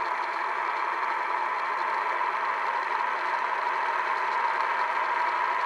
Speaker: so i'll start it up and it's fairly noisy because the bearings are pretty well shot but it still works